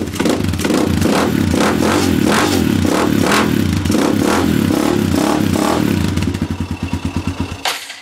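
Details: Honda 300EX single-cylinder after a rebuild (10 thousandths over, new rings), new air filter, FMF PowerCore 4 exhaust, cold start on choke; crisp even firing through the revs, no rattle or smoke, then fades as it stalls.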